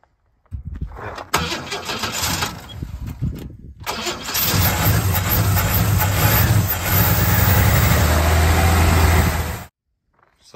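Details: HJ Holden wagon started after 8 years in shed, fuel pump leaking badly, on choke: a couple of cranking tries then catches, running loud and slightly lumpy at fast idle; timing not right, rough running after long storage.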